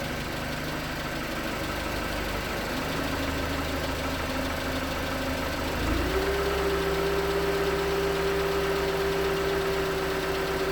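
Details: 2019 Hyundai Tucson 2.0L GDI Nu, 24,000 miles, cold idle on Mobil1 5W-20: steady light knock roughly three per second under the engine hum, suspected piston slap; switching to 5W-30 later only slightly improved it.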